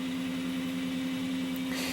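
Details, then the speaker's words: Showtec 1W RGB LED PAR64 long nose fixture, about 12 years old: internal cooling fan starting up, steady low hum with rough growl that worsens as it speeds up; worn bearing, fan to be replaced. "so it's not much on its own but it does get worse Eco she's really picking up now"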